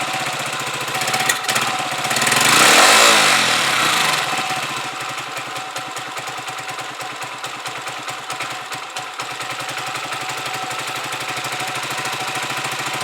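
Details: Huoniao HN125 single-cylinder motorcycle, just fitted with a new replacement carb and warming up cold with the choke off. After a brief blip it holds a steady putter of about two and a half beats a second. Normal warm-up idle.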